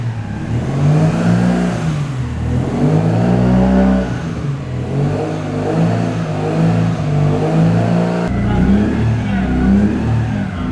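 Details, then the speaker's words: Nissan Skyline R33 first start after Jere worked on it (ECU removed, slight oxidation, possibly burnt resistor checked): engine revs and settles smoothly, running without throttle, no knocking or rattling; healthy normal running. "siinä se nytten ilma ilma kaasuakin käynnissä on ja nätisti käy ei kolise ei kilise"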